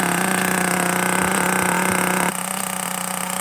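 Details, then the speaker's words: Traxxas T-Maxx Classic 2.5 nitro RC truck, cold idle just after priming and firing up after earlier slipping: high, buzzy small-engine idle holding steady pitch with slight dip midway; "transmission shake," just needs to warm up; normal cold idle. "That's a transmission shake. Don't worry about it. It's good for it. It just got to warm up."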